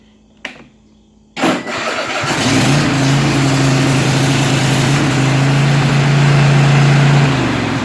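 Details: 2005 Cub Cadet 50" mower after throttle/choke cable replacement. It cranks briefly, fires on full choke and holds a steady, smooth low hum without hunting or missing: a normal start and idle.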